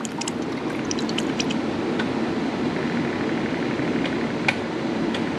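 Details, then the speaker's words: BMW E9x after a radiator flush, engine off, ignition on with heat at max so the electric water pump primes the system: steady pump whir, gurgling and clicking; air still trapped in the cooling system. "and you can hear inside the system it clicking and clacking"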